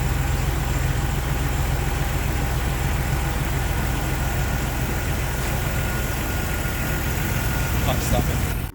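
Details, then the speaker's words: Jeep TJ 4.0 petrol inline-six with cylinder 3 misfire: deep, uneven, stumbling idle; stutters with slow acceleration, normal at higher rpm; compression and leak-down normal; new coil and plugs made no difference; vacuum leak found and repaired, not thought to be the cause. "I'm experiencing this stutter and rough idle that makes the Jeep undriveable it's throwing cylinder 3 misfire no matter what I do"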